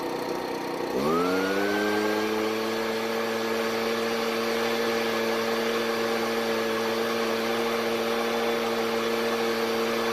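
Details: Ryobi backpack blower, two-stroke, on fresh store-bought premix and warming up: a steady, slightly uneven buzz that smooths as it warms but never reaches full speed; running lean on the high-speed (H) carburetor screw.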